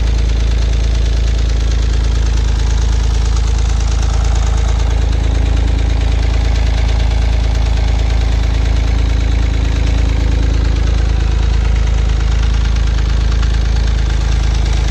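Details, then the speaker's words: Acura 3G TL Type S J35 V6 right after cylinder head install, first start: loud idle with a fast rhythmic knock about four per second, engine knocking after the head job. "Uh-oh. That didn't sound good."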